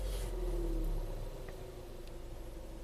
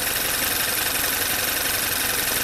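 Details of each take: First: VW Tiguan turbo GDI after high-pressure fuel pump replacement and a 5-mile highway drive: quiet, smooth idle with a steady low hum, no missing or ticking, no DTCs, normal turbo boost and throttle response. Normal idle. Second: Direct-injected VW turbo GDI after high-pressure fuel pump replacement and an oil change (crankcase was full of gasoline): first start idles shaky and uneven under a loud hiss, a misfire.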